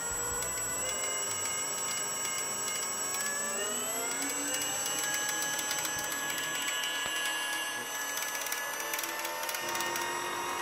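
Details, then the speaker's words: DIY electric kick scooter driven by RC model parts, 3D-printed roller drive, two 5000 mAh 3-cell LiPos, servo-tester throttle: a high motor whine climbs with speed while sharp ticks, about three a second, come from a plastic pulley that is not part of the drive. "the clicking you can hear is the plastic pulley it's not part of the drive"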